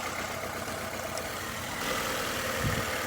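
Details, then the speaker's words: 2012 Nissan Altima 2.5 S, 2.5 L engine started to verify the misfire: lumpy, uneven idle with irregular stumble, engine visibly shaking; power balance test points to number one, cause a broken injector wire. "we're gonna go ahead and start this bad boy up and hopefully y'all can see what that motor is shaking more than an alcoholic with tremors"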